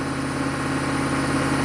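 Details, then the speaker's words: 1995 Chevy K3500 6.5 turbo diesel with throttle control fault; new pedal and pump driver module didn't fix: fast steady drone stuck at exactly 2,000 RPM versus 844 desired idle, fuel rate reading 0, no throttle input; high idle, cause unconfirmed. "So when you first start it up, it's at 2,000 RPM. Why does fuel rate say 0?"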